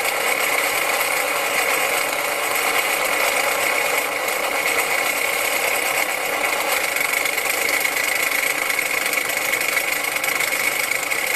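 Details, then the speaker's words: Truck engine idling with a fast, harsh, steady knocking clatter that turned out to be drive belts with big chunks missing; the noise stopped completely once the belts were cut off. "turned out that the belts had big chunks missing out of them I've seen belts with chunks missing before but I've never heard nothing make noise like that"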